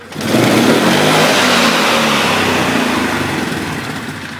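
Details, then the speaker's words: 2011 Polaris Sportsman 500 HO, still cold, quick full-throttle blip climbs cleanly and revs a little higher, settling back without the former hesitation, after an air box/intake bottleneck modification; healthy. "It does actually feel like it has a different RPM range. Like it does feel like it revved up a little bit higher there. So actually it doesn't hesitate like it used to before."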